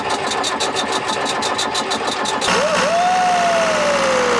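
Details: 47-year-old Mercedes OM636 42 HP marine diesel, fuel bled at filter and pump but suspected not reaching injectors, cranked without raw water intake: steady starter chug about three turns a second then winding-down whir; turns over but won't fire.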